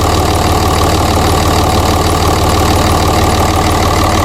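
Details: 2006 Ram diesel idling after turbo oil supply line replacement, airbox and intake tube off for leak check: steady, even diesel clatter with no misses, knocks or surging; normal idle, no leaks found.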